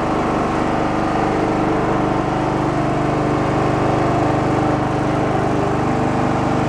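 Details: Abandoned Poulan Pro riding mower revived, blades engaged, after earlier rich popping: constant buzzing engine note holding speed without surging or popping; normal running under load.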